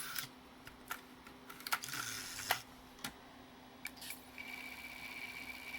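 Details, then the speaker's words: Old NEC-based CD-ROM drive (Intersect CDR-84) reading a pressed CD: scattered seek clicks, then a steady faint spin whine; normal reading. Problem appears only with CD-Rs, from a threshold laser or low CD-R reflectivity. "it's working exactly as it should"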